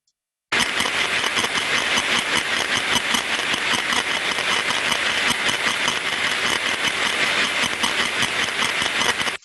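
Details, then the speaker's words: Recently refurbished gearbox heard through an ultrasound probe; constant crunching and scratching as amplitude rises, with no clean rhythm, sounding like increased friction, so lubrication is the first check. "so you hear when we get to the increase in amplitude we hear the crunching sound which would under experienced ears sound like an increase of friction so the first check to suggest would be lubrication because lubrication relates to friction"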